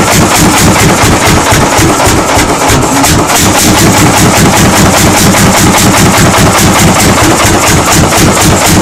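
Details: 1940 Lanz Bulldog single-cylinder engine at its first start after 40 years: slow, even, heavy thumps about four to five a second, running steady without misses, so the old engine runs properly.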